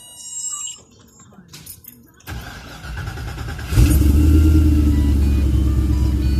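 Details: Holden VY Commodore 1-tonner Gen3 V8 on a PO1 computer with a flex fuel tune and flex fuel sensor, running about 74% alcohol mixed with petrol: quick crank, catches and settles into a deep, steady idle with no hunting or misfire; normal start and idle.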